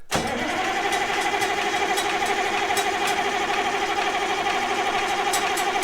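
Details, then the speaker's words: 1965 Allis Chalmers TL645 loader, turbo 6-cylinder AC 3500 diesel, after 10+ years idle, with the Stanadyne pump reinstalled and injector lines loosened to bleed: starter churns at about two compressions a second with no firing. "nothing yet this may take a minute all right let's see if we can pull a prime with some ether"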